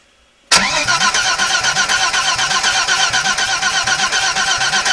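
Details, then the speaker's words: BMW that won't start: pressure is present but no signal reaches the injector and the fuel rail is empty, so a regulator bypass is planned; starter chugs the engine at a steady four beats a second without catching. Crank, no start. "То есть получается у нас не идёт сигнал на форсунке"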